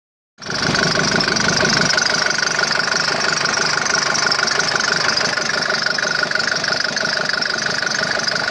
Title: Стук двигателя om601.970